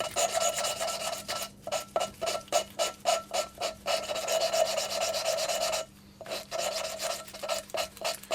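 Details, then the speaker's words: Classic Mini 1380 engine, hand lapping a valve into its seat for a couple of minutes; steady, even gritty back-and-forth rasp with pauses to turn: good valve-to-seat contact. "You can hear that that's got quite nice kind of contact between valve and seat. So I think that's actually quite a good seat there, really."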